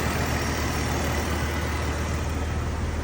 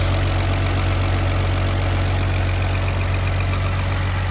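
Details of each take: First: 2002 BMW 330Ci, hot restart while diagnosing a cooling problem: steady, even low idle with no tick; the intermittent ticking went away again; intermittent ticking absent at idle. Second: 2002 BMW 330Ci inline-six after intake manifold work with upgrade parts swapped over, check engine light on at start: smooth, even low hum at idle with no misses, stumbles or knocks; runs clean, possible squeak to check.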